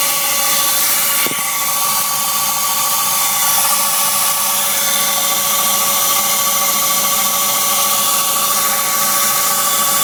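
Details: BMW Z3 1.9 with a weird high-pitched steady squeal over the idle, sometimes after engine start, cold or warm; A/C and fan belt tensioners already replaced and brake pads and rotors changed with no improvement.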